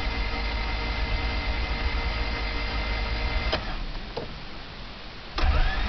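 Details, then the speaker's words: Honda Civic cranking after sitting and cooling off, trouble began after bad gas: quick, even starter whir with no compression beat, never catches. Catches after prolonged cranking and runs fine until it cools again. "I don't know how well you guys can hear that, but there's like absolutely no compression in the motor."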